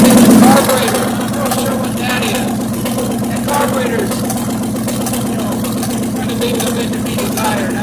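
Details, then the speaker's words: 1957 GMC truck, first start in 40 years after oil pump repair; old engine chugging unevenly at idle with irregular soft pops backfiring through the carburetor, cause not pinned down; next step is adjusting the carburetor air screws. "To get this backfired up to the carburetor a little bit. Try adjusting some of the air screws on it and see what happens."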